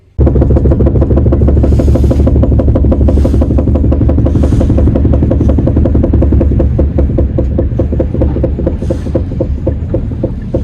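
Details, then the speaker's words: 2019 Kia Optima, 4th generation, high mileage, while driving: rhythmic knock a couple of times a second following wheel speed from the rear right wheel; four of five lug nuts loosened after a tire change, fixed by tightening the wheel. "идет звук из заднего правого колеса и внимание знатокам которые диванные эксперты что это за звук он вот такой"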